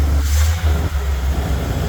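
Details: 1979 bread/newspaper delivery van, old engine cold-started: deep uneven rumble with raw puffing edge when trying to drive, exhaust leak.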